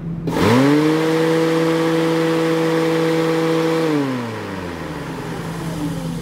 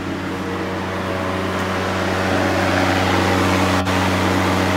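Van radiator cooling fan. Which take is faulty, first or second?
first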